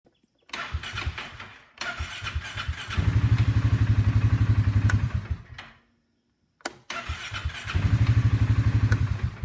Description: You will see and hear when the starter has a bad section.